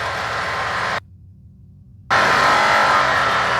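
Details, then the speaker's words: UTV intercom with its Vox (voice-activated) setting too low: while speeding up, road and engine roar drops out, then cuts back in louder with no one talking. Engine noise is opening the mic; the fix is raising the Vox setting. "There, you hear it open? And I didn't talk. It's opening right now, so I can hear the engine noise. I don't like that."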